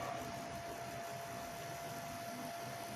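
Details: Recovered Foxconn LGA775 DDR2 motherboard with Intel dual-core CPU, previously freezing, noisy and vibrating, booting: quiet even rush of air with faint constant tone, no rattle or wobble; CPU cooler fan running normally.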